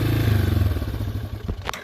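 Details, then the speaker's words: Yamaha Wolverine ATV after a carburetor rebuild (possibly Mikuni): single-cylinder thumper pops fast and steady, well above normal idle, then tapers off. Throttle response is fine, but the idle stays too high and the cause is unknown. "quite white does that but it is what it is but as far as throttle response and everything she runs perfect just got the high idle issue with it so we'll have to kind of figure that out"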